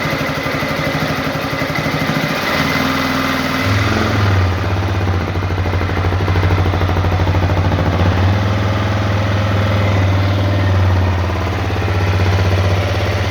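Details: Honda CRF250L single-cylinder at idle: faint, loosely regular tap about three times a second over the exhaust; engine knock, cause unknown.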